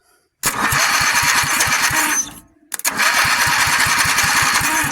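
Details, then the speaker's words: Rotation test of a build's motor, cranked before oil was added: quick, even chuffs as the starter spins it over, a short pause, then another steady crank. The rotation sounds smooth and healthy. "yeah sounds good so it sounds like we have a winner"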